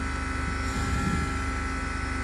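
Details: Over-oiled, smoking sewing machine motor held at full throttle to burn off excess oil hums and whines, sounding strained and unable to run fast, before it kicks up speed as the smoke diminishes.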